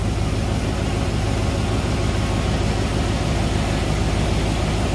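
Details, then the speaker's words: 1993 Ford Bronco just revived after grounding fixes, on a borrowed charged battery, hot day around 100°F heat index: even, steady low idle with no stumbles, knocks or misses, a normal idle. "oh she sounds good"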